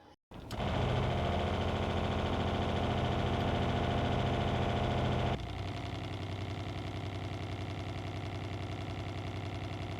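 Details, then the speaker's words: RV water pump in a Brinkley Z 3100, before and after installing an Intelligent RV Water Pump Controller: steady pump drone that partway through drops to a softer, smoother hum with less buzz and vibration; pump running quietly and normally. "So there you have a complete explanation and installation of the IRVWPC, the Intelligent RV Water Pump Controller, which makes a significant difference in the sound and vibrations that our pump makes."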